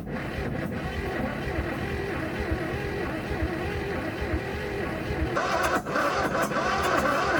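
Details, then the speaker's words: Bull nose Ford F150 flooded in 2010, water in engine for 14 years, first start on ether: uneven, lumpy running with ragged beat, speeding up slightly; sounds way out of time, exhaust possibly mud-plugged. "it's speeding up it is speeding up um it feels like it's out of it sounds like it's way out of time"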